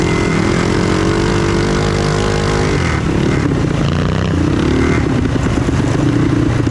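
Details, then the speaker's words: Trail Master MB200 mini bike with Stage 3 223cc engine, metal frame bushings fitted, heavy rider test: small single revs hard, then flares under load without pulling harder; rider suspects the drive belt is slipping, needs a new belt. "that's getting close to my 224 power I think we're slipping belt now I think I don't think oh yeah we're slipping belt which is funny I have to do a new Bel on"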